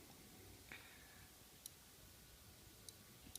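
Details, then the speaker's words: BMW S1000RR after an ECU flash with a race calibration kit, bike-condition check in a quiet room: a few sharp clicks about a second apart from the clutch sensor, which the shift assistant needs. Normal clicking. "You can hear the clutch sensor clicking."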